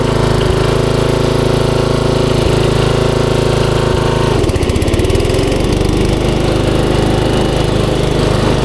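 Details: 1994 Troy-Bilt 33-inch walk-behind mower, Model 34044, Briggs & Stratton engine: chugs steadily, clunks as it shifts into reverse, then drives on evenly backing up. Normal running.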